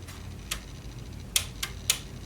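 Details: Sony TC-WR710 dual cassette deck, not working, powered up before belt replacement: sharp irregular clicks, about four in two seconds, over quiet hum; transport clicking as the belt moves, belt found in terrible condition.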